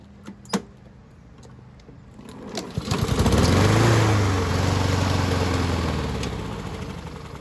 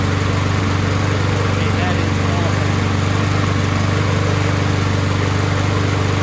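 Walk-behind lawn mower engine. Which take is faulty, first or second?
first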